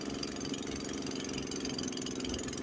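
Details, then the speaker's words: Honda HS80 single-cylinder snowblower with fast throttle set at 3000 rpm instead of spec 3600, in second gear throwing snow about 12–15 ft, runs hard and slightly uneven, bogging down under load and more through the snow berm. "yeah hear it it's bogging down pretty good A little bit going through the BM so I hope you can hear that it was bogging down a little bit and then when it got to the BM it was bogging down a little bit more"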